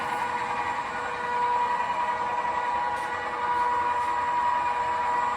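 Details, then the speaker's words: XYZ Proturn 420 lathe after replacing spindle and countershaft bearings, spindle running: smooth steady hum with clean tone near 1 kHz, no rumble, knock or grinding; new spindle bearings running quietly, normal. "But so there it is running."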